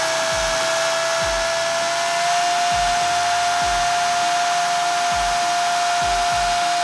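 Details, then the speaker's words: Traxxas Rustler VXL 2WD RC truck with new Boca ceramic bearings, break-in run, drawing less power than stock bearings: steady high whine at even pitch, creeping up slightly, soft repeating thump below; drivetrain runs smoothly. "Just making sure the motor's turning in the right direction."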